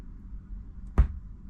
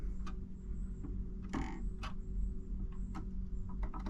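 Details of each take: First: Marantz 6100 turntable through a speaker at low volume: a single sharp pop over a quiet low hum as the motor engages or disengages at tonearm return and shut-off; suspected failing capacitor across the motor switch. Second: Marantz 6100 turntable after fixing the popping noise, grounding connector attached: low steady motor hum and light clicks as the arm returns at runout; the motor switches off with no speaker pop.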